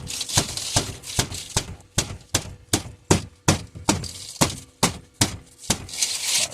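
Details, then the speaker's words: 2002-2006 Dodge Sprinter passenger dashboard: high-pitched metallic rattle like a spoon banging, sharp tinny clatters two or three a second; fixed by prying a loose metal bar about 1.5" upward (also check glovebox for a stuck coin). "there it is you hear that it's a high pitch like someone's banging a spoon around"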